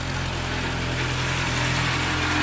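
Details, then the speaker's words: Suzuki Samurai petrol engine, after exhaust removed and catalytic converter welded in for smog test, with injector/carb cleaner added: even, quiet idle with no exhaust rasp; fan belt/fan bearing noise noted separately. "so I think they're just still spitting it all out but it is quiet then that is exactly what I wanted and I'm super excited about it now"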